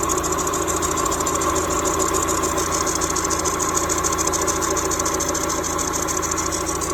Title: Weird noise in timing belt down to crank area 93 Miata